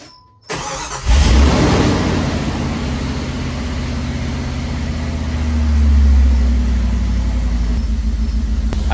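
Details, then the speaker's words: 1996 Jeep Grand Cherokee ZJ 5.2 starting right after idle air control valve replacement; starter whirs, engine catches and flares up in revs like other cars, which it never did before, then settles to a steady normal idle. "one thing that this has never done is when you turn that key and start it up it's never once gone W like it did there like every other car does"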